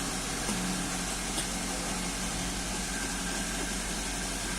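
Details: 2005 first-generation Toyota Avanza at idle after repair and clearing of EFI trouble codes, scanner showing no faults: smooth, even idle with a steady hum and hiss, no misses or knocks; engine running properly.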